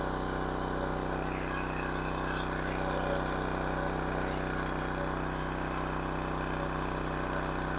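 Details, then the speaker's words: King Canada 1500 W generator, Chinese engine, running a hair dryer between medium and high: steady drone, no hunting, pitched noticeably high; overspeed at 76 Hz, governor spring tension set too high. "it's a little high 76 htz see if I can turn it down a little"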